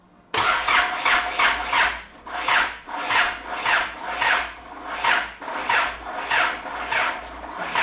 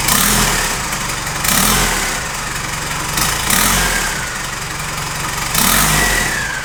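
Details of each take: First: Isuzu 4JJ1 diesel swapped into a Nissan Patrol, first start attempt with fuel pump fuse pulled: slow, labouring, uneven cranking sagging after three to four turns; owner suspects weak battery or starter, hopes transmission not locked. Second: Nissan Patrol with a swapped Isuzu 4JJ1 diesel on its first start, after adding aluminium intercooler piping with the MAP sensor at its end. It settles between throttle blips every two seconds, picking up cleanly and idling evenly, and runs healthy.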